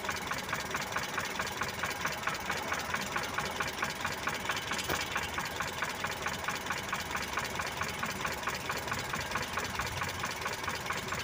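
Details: Mitsubishi Colt T120 idling after distributor timing was adjusted with the engine running: even, steady idle with a regular tick at about 136 a minute, no misses or stumbles. Normal idle.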